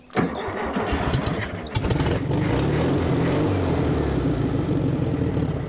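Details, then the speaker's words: 1974 VW Thing engine, first start since about 1989, fed only a splash of fuel in the carburetor bowl: cranks, catches and revs unevenly, surging and struggling; not enough fuel, needs a gas can; fuel starvation. "yeah there's not enough we have to hook up a gas can to it which unfortunately our gas cans are empty but this thing is a runner"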